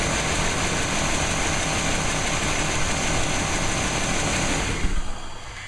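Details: 1998 5.7L 350 Vortec V8 after rebuild, run briefly before distributor timing is set; smoked from blow-by at first start but no longer smokes. Smooth even idle, steady rumble, no tapping or misses before shutdown; healthy.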